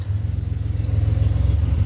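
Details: 2007 Pontiac Grand Prix GT idling after a crank-no-start fix with a swapped fuse box. Low, even idle pulse with a regular beat, no ticks or knocks; idling smoothly.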